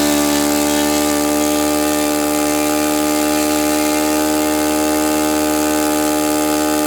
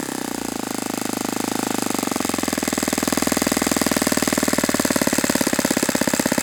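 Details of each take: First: Saito FA-91S model four-stroke glow engine, not run in many years, on a test stand on a chilly ~60°F day, running a Fox Miracle plug: high, steady buzzing note holding perfectly even with no sputter or sag; normal, clean running. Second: Saito FA-91S model four-stroke glow engine on test stand, not run in years, cool 60°F day, with a replacement plug that looks dim: climbs to fast even buzz but levels off short of full revs; reduced peak RPM, idle different, weak plug suspected.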